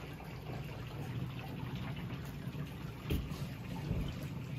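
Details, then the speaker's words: House during a winter storm: continuous low rushing hiss of water running inside the wall, loud and felt through the wall, from a pipe that burst in the back guest room. Burst pipe water rushing. "sounds like it's in the walls I can feel it in the walls"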